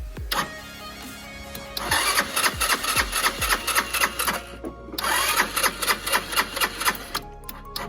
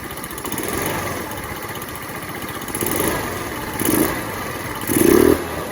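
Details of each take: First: Lexmoto FMS 125 after valve clearances were set, a new spark plug fitted and the throttle cable refitted: the starter churns in repeated whirring bursts with no firing as the battery goes flat; it won't start because the tank is empty. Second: Lexmoto FMS 125 after valve clearances were set and a new spark plug fitted, air filter off: quick sharp blips from a light idle, revving up instantly at full throttle each time; crisp, healthy throttle response.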